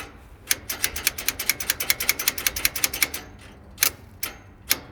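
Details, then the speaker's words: 1948 Willys CJ2A Jeep, sitting for decades, cranked on a temporary 12-volt battery with no coil hooked up. Rapid sharp clicks, about seven or eight a second, then single clicks; it turned over only briefly. Owner suspects a bad, loose ground. "Well, it did turn over for a second, so that means we probably got a shitty ground somewhere, maybe."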